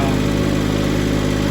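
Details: Skyjack scissor lift with a three-cylinder Kubota engine, after a new fuel pump and a misfire fix on the arcing spark plug cylinder. An even, steady idle with no stumbles or dropouts, firing cleanly; the owner hopes it is sorted.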